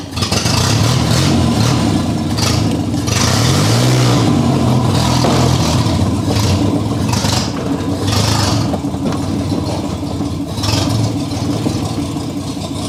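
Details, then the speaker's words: 1984 Ford Capri with an old carburetor V6, restored after being abandoned, running after a start with starting fluid; a strong note rising and falling with throttle blips, steady, even firing under background music; normal running. "As you can hear and as you can see, this car is really powerful, and I wish the day these things comes out of my garage will come as soon as possible."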